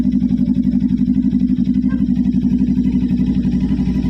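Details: Motorcycle, low mileage, started after nearly two months unused and not cleaned: loud, even, quick exhaust beat that holds steady without stumbling or misfires; it starts and idles cleanly.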